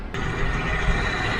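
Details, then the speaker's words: Land Rover Discovery 3 TDV6 diesel on its first test drive after a five-month full restoration: steady diesel rumble under way, even pulling, no knocks or rattles; initial blue smoke from assembly oil cleared; engine sounds healthy, like a real diesel. "so the engine sounds like a real diesel not like on a discovery for"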